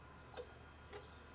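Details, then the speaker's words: Dodge Sprinter van that loses power and won't exceed 40 mph: the EGR valve, commanded open by scan tool with wiring confirmed good, gives two faint sharp clicks over a quiet hum. The clicking suggests the valve may be sticking. "oh it's clicking I don't like the way this valve is clicking so it could be sticking"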